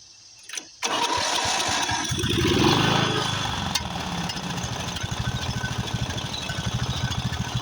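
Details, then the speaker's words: Craftsman riding mower, 13.5 hp Briggs & Stratton OHV single, just after a carburetor replacement: cranks, catches, then settles into an uneven loping idle with irregular firing. Owner suspects fuel mixture adjustment or possibly a blown head gasket. "the first thing got a blown head gasket but it could just be where I have to adjust the fuel uh to a mixture"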